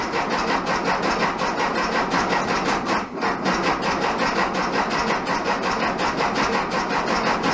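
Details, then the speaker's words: 1967 VW Bug, big-bore 2387cc engine, cold day (~15°F), after fuel delivery fix: sputters and catches unevenly, about eighty rough pulses a minute with a midway dropout, barely running; spark weak, owner suspects ignition. "Alright, so we got her to pop and run a little bit a couple of times. It's obviously going to take a little bit of fine tuning and a little bit of combination figuring out."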